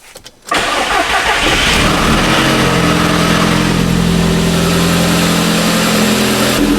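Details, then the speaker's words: Audi S3 cold start after timing work, with battery reconnected and a loose fuel-line clamp fixed: starter catches within half a second, then a loud, steady high idle with smooth exhaust drone, no knocking or misfire; seems alright. "It's a bit loud on startup, but seems alright."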